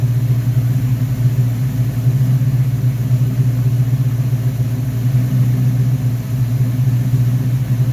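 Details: V8 first start after rebuilding a 1969 Corvette's Rochester Quadrajet 7029202 carburetor (ethanol-damaged fuel bowl cleaned up): deep, steady rumble holding an even idle with no misfire, stumble or knock; normal idle.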